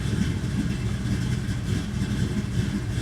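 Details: FiTech EFI truck idling after a fuel pressure regulator replacement, pressure about 56 psi and then lower, a couple psi below the 58 target but above the earlier 50–52: a steady, even low rumble with no misses or hunting. Normal idle.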